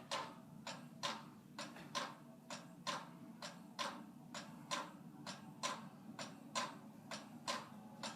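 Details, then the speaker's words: 44-inch Monte Carlo Designer Supreme II ceiling fan on low: sharp even ticks about once a second over a soft motor hum; very noisy, cause unknown, wobbles more on medium. "yeah it is very noisy like it's got some issues I guess with I don't know what it is"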